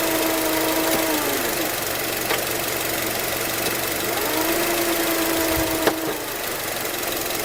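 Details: 2004 Acura TSX automatic, present since at least 138K miles: thin steady whine over the engine, stepping down and rising with speed; no shifting issues or warning lights; cause unknown, commenters suggest torque converter.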